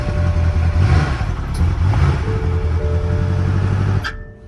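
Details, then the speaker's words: BMW M car at a salvage auction, possibly doctored, started after several failed attempts: catches and runs with a steady low drone about four seconds, then cut off abruptly because the engine oil pressure warning came on. "Engine oil pressure. I shut it down. That was me. I shut it down because I saw that engine oil thing pop up, and that's a no-no."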